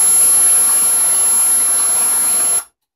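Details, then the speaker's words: 2008 Samsung LN37A550P3F 37-inch LCD TV in startup cycling: steady high-pitched whistle over hiss, then it cuts out. Each tone is another failed attempt to lock on, with no picture. Blamed on a high-ESR 47 µF 10 V tantalum capacitor on the main board. "now it's going to attempt it again every time we hear that tone it's attempting another another triad locking on still no picture"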